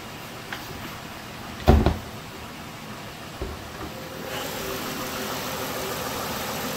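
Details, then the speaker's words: 2012 Mazda 6s with the 3.7 Duratec V6, after water pump replacement and a full timing chain service: a quiet, smooth idle with an even low hum and no ticking or rattle. The P0016 code cleared; normal idle. "she's purring"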